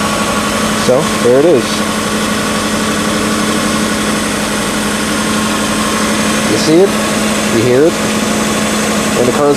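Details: 1990 Subaru Legacy wagon parts car, flat-four idling in neutral just after start, heard from inside the car: smooth, steady hum with no misses, knocks or surging; normal idle.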